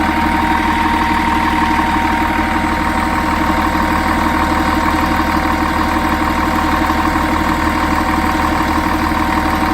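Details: Volvo Olympian bus with D10A-245 diesel idling with a steady pulsing beat and a thin high tone riding over it; weird idle sound, cause unknown.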